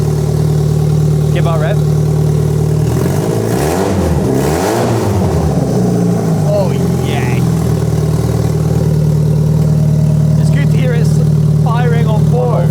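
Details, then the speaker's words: First start of a Rover 25 after a full K-series engine rebuild, no exhaust system fitted: loud engine blips up and falls back cleanly, firing evenly without misses or knocks; revs smoothly and healthily. "okay that was slick that sounds so smooth"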